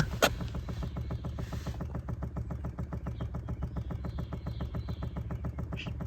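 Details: Chevy Bolt electric brake booster control module clicking fast and evenly under the pedal over a low hum, heard under the dash; fades near the hood and stops on its own; fixed under warranty by reprogramming per Service Bulletin 20-NA-170.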